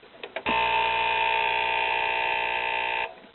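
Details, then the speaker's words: Late-'90s Sanyo 19-inch TV: a harsh, steady buzz for about two and a half seconds as the on/off power relay chatters instead of clicking once. This is a common fault, suspected to be a bad electrolytic filter capacitor in the standby power supply. "yeah as you can hear it's a common problem on these SOS and it's a bad electrolytic capacitor in the standby power supply which I think it's this capacitor right here I believe I'll take it out and check it it serves as a filter capacitor but when that capacitor goes bad it causes the the relay to chatter like crazy so"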